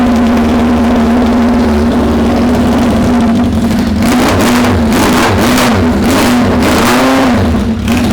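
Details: Suzuki Bandit 600 first start after setting the carb float heights, through a very loud aftermarket exhaust, with spilled oil burning off the pipe. Raspy exhaust with a wavering idle that surges and stumbles; runs unhappily and needs carb tuning.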